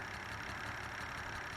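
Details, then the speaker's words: 1985 Toyota Celica Supra (MKII), six-cylinder: short uneven, lumpy idle with slight stumble; rough idle persists, smooth above 1000 rpm; cause not yet found, TPS suspected. "So, I went back to start my car and the rough idle issue still persisted."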